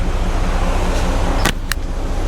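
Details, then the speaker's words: 1993 GMC Sierra C1500 with new Delta Current Control driving a 2-speed 1994 Ford Taurus cooling fan, AC switched on: steady even whoosh and low constant hum, no rubbing or ticking. Fan running normally on low speed. "I can definitely hear it. Yep, it's working. All right. So, that's that's the low speed."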